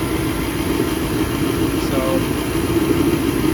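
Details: 40-year-old kerosene torpedo heater that misfired and shot fireballs, run right after cleaning, fuel filter cleaned and fuel line refitted: steady even roar of burner and fan, no popping or banging, normal running.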